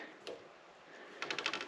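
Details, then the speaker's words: Naim Audio CD player (CD3/CD5/CDX type) door after repair: clang cured by pushing the door-close magnet back up; light click and soft ticks as door shuts quietly, no metallic clang. "And you'll probably find in 15 years or so, 20 years, that it'll drop down again, it'll start to do it again, but there you go, nice silent door."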